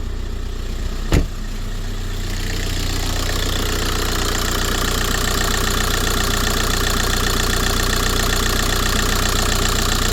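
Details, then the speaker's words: VW Golf 4 TDI diesel that vibrated as if running on three cylinders, restarted after injector work (faulty injector suspected): brief clunk, then even steady idle with no stumble or shake; problem solved, normal idle. "Ça tourne bien. Hein? Ça tourne bien. Ah, tu vois, ça tourne bien."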